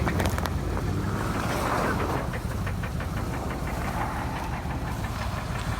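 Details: 1999 Chevy Suburban, 350 5.7L Vortec V8, about 242–246k miles, briefly run without oil: heavy knocks hammering through the V8 rumble over wind noise; spun rod bearings.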